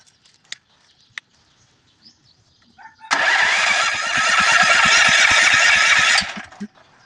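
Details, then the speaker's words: 7.5 generator set that won't run: the engine catches, runs roughly for about three seconds, then dies; the spark is fine and the tank is full, so the carburetor is suspected. "Titingnan natin itang karburador mga idol kanina umandar siya ng konti tapos namamatay so ibig sabihin walang problema dito kuryente so sa karburador natin tingnan mga idol"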